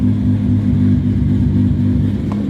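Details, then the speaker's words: R32 GTR after new ID1700 injectors, power steering rack and pump, first start while bleeding power steering: steady even idle, smooth low burble, no misses or ticking; normal idle. "that's a really good sign idle sounds really nice good oh man first try"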